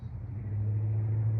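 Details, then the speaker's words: 388 small-block V8 in a truck, Jones mufflers on long-tube headers, freshly fired up: deep even exhaust drone swelling then holding steady, no popping or rattle; normal healthy exhaust note. "we got 388 fired up man that truck sounds good that's them Jones mufflers on them long tube head"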